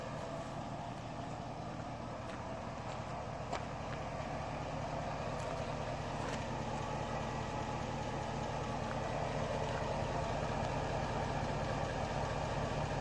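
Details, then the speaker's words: Top-end rebuilt engine with a Comp Cams 54-525-11 cam and Evolution hydraulic roller lifters, replacing loud 8957 retrofit lifters, after 38 hours of run time: steady idle with a faint, even tick about three per second; normal lifter noise. "at this point the lifts are noise you have to listen hard for it but at least you can't hear it coming down the road a quarter mile"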